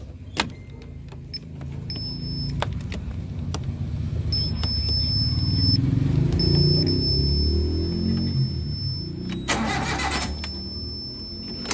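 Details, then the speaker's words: Suzuki APV crank-no-start after park lights switched off; starter churns steadily about four beats a second, engine never fires; relay loses its blue-wire supply while cranking, to be moved to a green-wire supply. "Ayaw umandar ah gagawin natin kasi pag kina ko ito nawawal siya ng supply"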